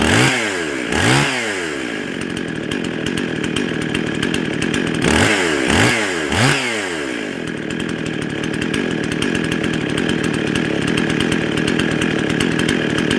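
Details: Couple of quick revs, then a high, steady scream on a Husqvarna 55 chainsaw; rpm too high, tach about 27,000 read as two-cylinder, roughly 13,500; lean running from a carburetor base gasket intake air leak, bogging in the cut.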